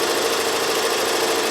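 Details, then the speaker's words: Avancé 1501C 15-needle single-head professional embroidery machine sewing at 850 stitches per minute. Fast even stitching chatter at a steady pace, no clunks or grinding; a well-oiled machine running properly. "Singing right along. It sounds great. You all can hear it. I've been doing this long enough. You can listen to a machine. This is a well-oiled, well-running machine, and no concerns about it sounding like it's not functioning properly."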